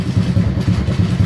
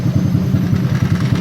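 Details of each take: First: Honda Supra X 125 not started for several days: idles right away on the first try with an even, steady single-cylinder beat. Some vibration buzz comes from the license plate area. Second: Honda Supra X 125 single cylinder, started after days unused, idling immediately: steady idle with a fast, even buzzing rattle from the vibrating license plate; engine otherwise normal.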